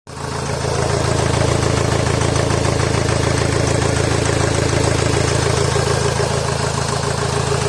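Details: Honda Accord VII 2.2 i-CTDi diesel after turbo failure: clattering idle with an uneven pulse three to four times a second, running rough.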